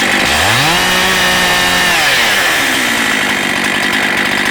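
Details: Husqvarna 272XP chainsaw with a 20-inch reconditioned bar, new chain and new sprocket winds cleanly up to a high, steady scream, holds it, then drops back smoothly: healthy running.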